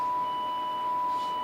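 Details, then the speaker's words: 1963 Ferguson Fieldfare Mk2 transistor radio with the output-stage bias switched off, playing a 1 kHz test tone: buzzy, with extra overtones instead of a pure tone. This is crossover distortion in the Class B output. "can hear a change in the tone you can hear multiple tones because we've got distortion it's not just one kilohertz you're hearing"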